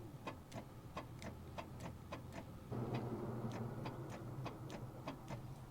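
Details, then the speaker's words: 1973 Toyota Hilux with the 18R 2-liter four-cylinder, sitting about 20 years, during wiring tests for the start signal: sharp ticking about four a second over a low hum with the key on, and the engine does not turn; source unknown. "Well, there's some clicking going on out there, but I don't know what's going on."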